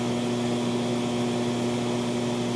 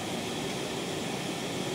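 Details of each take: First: TLP Audio TPS 20 phono stage at 76 dB gain on a basic TG1 power supply, no capacitor pack, 1.6 mV residual noise: steady low hum under a wash of hiss; power-supply ripple hum that is to be removed. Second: TLP Audio phono stage with two SP capacitor packs in the power supply: smooth, even hiss with no hum or ticking spikes; the spikes are entirely gone, leaving normal, clean background hiss.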